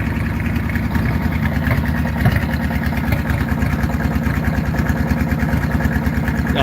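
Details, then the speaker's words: Farmall H vintage tractor just started: lumpy, uneven idle with a loping, irregular exhaust beat; owner suspects timing. Rough uneven idle. "to that exhaust sounds like a old beat up harley that hasn't been on the road for 20 years"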